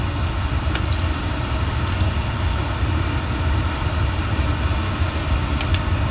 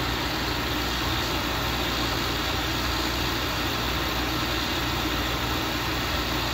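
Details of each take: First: Boiler after a filter change, restarted after bleeding air by holding the reset 45 seconds: a steady low roar with no stumbling or cutting out, burner lit and holding a stable flame. Normal burner operation. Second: Oil-fired boiler burner right after a fuel filter change: steady roar runs evenly about eleven seconds, then cuts out abruptly. Lockout from air drawn into the oil line, cleared by opening the bleeder and holding reset 45 seconds.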